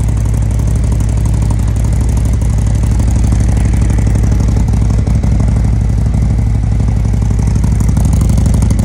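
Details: Custom 2020 Harley-Davidson Road Glide with freshly built 130-inch performance engine, first start before first tune, smoking: deep, even V-twin thump about four pulses a second, steady and strong with no knocks or rattles; healthy idle.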